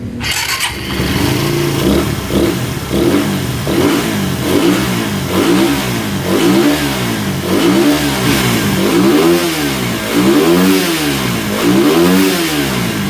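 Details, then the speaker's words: Suzuki Satria FU 150 motorcycle engine after installing the camshaft and timing gear. It starts and is blipped repeatedly; revs rise and fall cleanly, very quiet with no ticking or rattle. Normal running. "Oke Bang untuk suaranya Alhamdulillah ya kalau untuk suara ini udah senyap banget udah normal udah enak"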